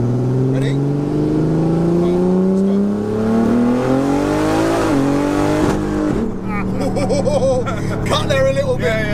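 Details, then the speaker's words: Heavily modified BMW sleeper making about 1100 BHP, third-gear pull: engine note climbs hard then power stumbles and drops out; fuel feed problem, pump catches up and recovers after about 5 seconds; car still being sorted. "so the pump catches up looks about 5 Seconds got yeah so I've seen that it does recover it's a feed problem"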